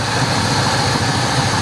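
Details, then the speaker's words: 1979 GMC Caballero, abandoned 8 years, now idling on its own with the alternator charging; owner notes the mechanical fuel pump is leaking; steady, even low V8 rumble with no knocks or misses; normal idle. "Listen to that, guys. Listen to her purr."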